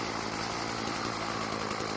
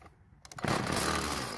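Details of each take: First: Stihl FS36 two-stroke trimmer, fresh out of storage and previously not starting, suspected carburetor: after turning the L screw about half a turn counterclockwise because it kept dying at idle, it buzzes at a steady, even idle with no surging or stalling. Normal idle. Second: Stihl FS36 two-stroke trimmer, won't start after storage, fuel poured into carburetor throat: catches and buzzes about a second before dying, suggesting a fuel supply problem; carburetor suspected, unconfirmed.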